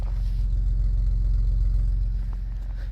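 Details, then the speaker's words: Minivan engine at about 211,752 miles, before oil change: deep, steady idle with even firing pulses and no knocks or ticks; normal idle. "And she's running good as ever."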